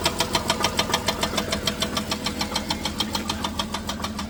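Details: 2007 Dodge Grand Caravan at steady idle: sharp, regular knock about two per second; owner suspects loose torque converter bolts, not confirmed.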